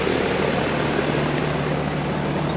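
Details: 1999 Rheem 2.5-ton R22 condenser after cleaning, first startup of the season; motor leaking oil, contactor due for replacement: even compressor hum under a steady fan whoosh with no knocks or rattles; condenser running normally.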